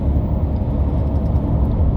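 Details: 2004 Saturn Vue 3.5L (J35) after replacing a failed 10k-mile Gates timing belt kit: steady, even low rumble with no knocks, misses or ticks; idling smoothly, no codes or misfires found afterward.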